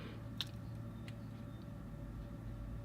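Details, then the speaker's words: Old industrial-grade 3Com high-bandwidth fibre-optic backbone network switch heard in a quiet room: a faint steady hum with a constant thin whine from its cooling fans, picked up as background noise while recording. "we go better quiet you can hear the whine in the background now what I try and do in post-production is filter out that noise but it does leave the audio sounding a little bit less natural than I'd like"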